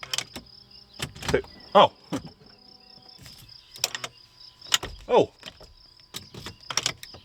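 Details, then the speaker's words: L322 Range Rover key-in steering column lock solenoid: sharp clicks each time the key goes in, releasing normally after WD-40 applied to the stuck steering lock solenoid. "working it's doing it every time i put the key in you can hear it now i think the wd-40 must have worked in"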